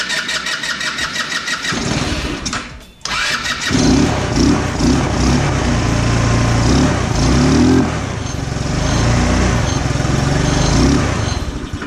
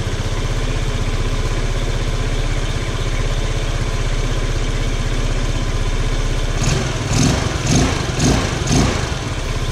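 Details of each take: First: 150cc GY6 scooter that starts but won't idle despite idle-screw adjustment: cranks and catches, then runs uneven and lumpy without settling. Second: 150cc GY6 scooter running as it should: steady even putter at idle, then four or five quick clean throttle blips that pick up and drop back smoothly; normal idle and revving, no smoke.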